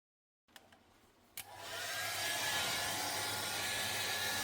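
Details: Fisher & Paykel refrigerator: after a couple of clicks, a loud steady airy whirr with faint whistle builds up; faulty freezer-side fan motor making the whole fridge very noisy.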